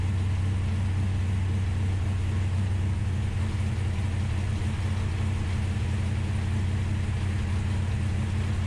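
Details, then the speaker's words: Ultima GTR that sat unrun for 7 years in a warehouse, restarted once oil pressure was confirmed and still cold. Deep, even burble at a steady idle with no knocks, misses or ticks; primary temperatures checked fine: normal idle. "The Ultima GTR is alive, and honestly, it runs surprisingly good for having sat in the corner of a warehouse for 7 years, not running."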